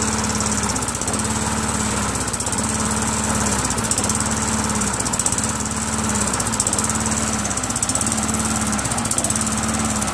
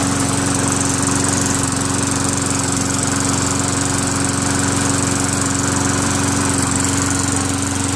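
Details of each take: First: Craftsman Eager 1 self-propelled mower with Tecumseh 5.5 hp engine, first start after carburetor cleaning; revs rise and fall about every second and a half, surging because the throttle spring is pulled out too far and needs tightening. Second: Craftsman Eager 1 self-propelled lawn mower with a Tecumseh 5.5HP engine, after a carburetor clean and tightening an over-stretched throttle spring. It holds a steady, even beat with no surging, misses or knocks. Normal running.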